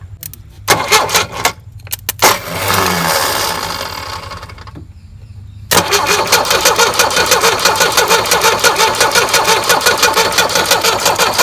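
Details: Tata Sumo direct-injection diesel cold start after sitting, starter and engine not seized: cranks steadily about three turns a second but never catches; air in fuel lines, injector lines being cracked to bleed.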